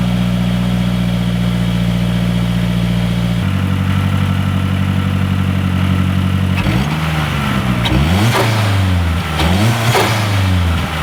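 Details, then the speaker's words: 2012 Mazdaspeed3 just after a silicone turbo inlet hose install, not yet driven: steady deep idle and clean throttle blips, lower tone with more intake noise, no rattles or misses. Normal idle and revving. "okay so I haven't driven it yet but it does have a little bit lower end sound and I can hear it sucking more air and it just sounds like it's healthier"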